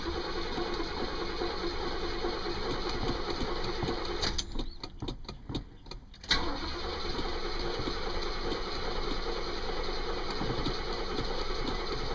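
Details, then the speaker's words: 1972 Oldsmobile Delta 88 V8 with mechanical fuel pump, sitting a couple of weeks: brief crank, catches and settles into steady, even idle with no knocks or misses; runs nice and smooth, burns no oil. "Alright, there we go. Once you get it fired up, it runs real nice and smooth, take it for a quick little spin."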